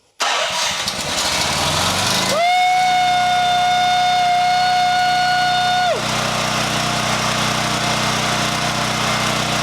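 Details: Champion EFI generator, fuel pump left to build pressure before starting: starter spins briefly, then a steady tone rises, holds, and drops to an even, settled run.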